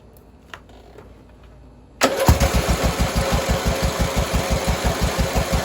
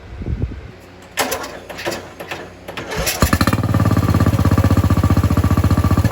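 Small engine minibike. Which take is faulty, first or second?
first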